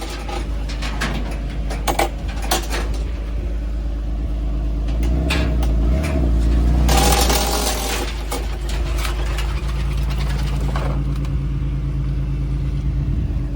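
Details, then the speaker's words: Chevy Lumina Euro, about 30 years old and sitting since 2014, just jump-started and revved. It gives a low, steady rumble with some clatter but no knock or misfire, so it runs healthy; the oil is dirty but the right colour. "This car has been sitting since 2014, according to the Carfax. So, but it did seem to run healthy."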